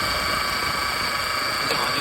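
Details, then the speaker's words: Mercedes-Benz E200 W212 M271 engine, idling and driving: steady high-pitched whine from the front of the engine that grows louder with revs; the grooved idler pulley bearing is whining. "ยิ่งเวลาเราเร่งเครื่องเ้าก็จะยิ่งดังขึ้นนะ"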